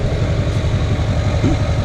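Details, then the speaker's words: Diesel in a rollover rebuild truck, primed before start after sitting a good while: steady even clatter at settled idle, regular beats with no misses or knocks; starts and runs like a dream. "that just Prime for a second just to give us the best odds oh yeah like a dream"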